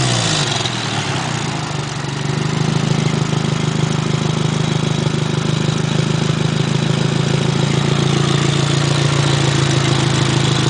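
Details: Nissan SR20DET start-up: engine catches and settles into a loud, raspy idle with a puffing hiss from an exhaust leak at the Blacktop downpipe.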